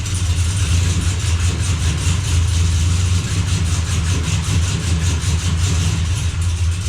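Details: Chevy Blazer after transmission repair, sitting running after shifter cycled through gears to circulate fluid; steady low rumble with even pulse, no slipping, clunks or whine, good oil pressure, no drips: normal running.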